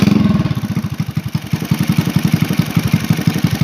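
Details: Honda Supra Fit New motorcycle used for hauling wood, idling: a quick, uneven scraping tick rides each beat about three times a second. It comes from a loose magneto cover plate rubbing on the flywheel (magneto) side.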